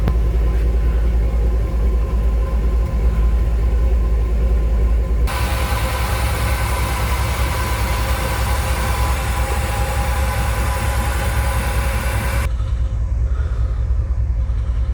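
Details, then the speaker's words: Dodge truck after a full can of Seafoam was sprayed into the throttle body and heat-soaked: deep idle rumble with a slight uneven pulse; it had been nearly stalling at stops. Cause not confirmed. "What it's been doing to me is acting like it wants to stall out at stop signs and red lights."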